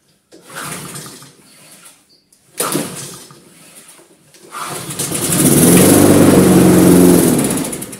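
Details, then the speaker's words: Lawn mower rescued from a dump, engine judged sound, test after refitting the drive belt with traction engaged: a couple of pull attempts, then the engine catches and settles into a strong, even running beat; everything works. "Tout fonctionne, c'est trop top."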